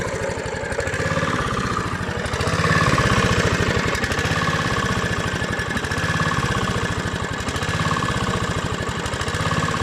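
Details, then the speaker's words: Honda GV150 single-cylinder engine test after rebuild, transmission not yet reassembled. The putter swells briefly as the throttle opens, then settles, fairly round on acceleration with no knock. Normal running. "et donc plutôt rond à l'accélération"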